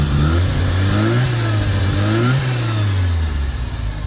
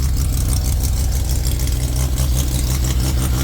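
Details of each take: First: Turbo Mazda RX-7 rotary at first startup after engine install with a self-made TIG-welded exhaust, running rich: throttle blips then a steady, choppy rotary idle, fairly soft exhaust, much quieter than before, no leak ticking. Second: Turbo Mazda RX-7 rotary engine at first startup after install, 2,000 rpm idle, oil pressure 72: faint, rapid puffing tick from exhaust leaking at open EGT probe ports awaiting probes.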